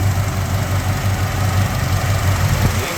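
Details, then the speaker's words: 1987 Jeep Grand Wagoneer, 62,000 miles, fully rebuilt rare AMC 401 V8 with FiTech fuel injection and a new fuel pump: steady, even low rumble with no knocks, ticks or misses. Smooth, quiet, normal idle. "As you can hear, it started right up. See how quiet and smooth it is?"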